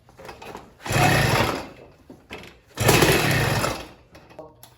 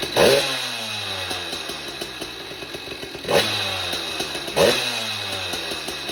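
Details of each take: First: Motorized bike two-stroke fitted with California Motorbike catnip ignition and coil, carburetor untouched, idle speed raised: pedaling and cranking with only a brief weak pop, won't catch; hard starting, cause unconfirmed. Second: Motorized bike small two-stroke on its stock ignition system, before fitting a California Motorbike catnip performance ignition: crisp buzz revs up and falls back several times, clean pickup, no misfires, then shuts off; runs flawlessly.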